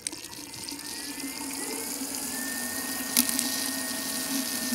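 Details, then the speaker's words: BMW electric coolant pump test: ignition on, battery on charger, heat at max, fan at lowest, gas pedal held 10 seconds; loud steady high whir with a faint rising tone and water swishing as coolant circulates; pump running normally. "okay now you should hear the water pump starting will show you right now and just start it you can hear it is very loud then you see the water start circulate"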